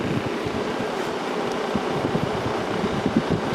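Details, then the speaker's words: 1995 Kenmore 5,450 BTU window AC, GE PSC fan motor and Sanyo compressor, a few minutes after compressor start and building pressure, switched from low to high fan: steady whoosh over an even compressor hum, amperage barely changes between speeds, normal. "doesn't really increase much that motor draws pretty much the same amperage well almost the same amperage uh on all speeds"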